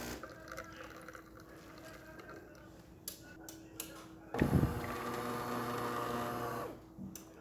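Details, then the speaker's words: Older-style DeLonghi Magnifica after full shop service; the customer had replaced the flow meter, generator and water pump. Brewing a 1-shot espresso: a steady low pump hum for a couple of seconds as water is pushed through the brew unit. Normal pump operation. "And now it's going to move into brew position. It's going to tamp itself against the McKenna valve, and then the McKenna valve is going to shoot water through."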